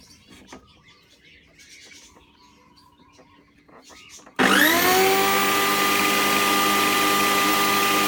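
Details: Old, long-used electric grass cutter whose complaint was loud howling, reassembled after repair of a cracked bearing housing: a quiet lead-in, then the motor spins up sharply to a steady, even hum with no howl. It runs normally.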